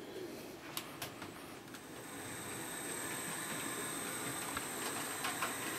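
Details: Hornby P2 Cock O' The North model loco fitted with replacement motor and two capacitors, replacing jerky original flywheel motor: quiet even motor whirr with light wheel ticking, no grinding; smooth normal running, only slight stumble on a point.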